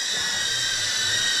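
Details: Newbeedrone Acrobee75 with a DJI O3 unit, flying on the untouched stock factory tune: high, shrill steady whine with a harsh ringing edge from the tiny motors. It flies badly, and the oscillation is blamed on the poor default tune.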